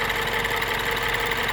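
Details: 2012 MINI Cooper S R56, N18 engine, about 80,000 km: fast, even, light ticking over a steady idle, present cold and warm, no deep knock; dealer confirmed normal, not the timing chain.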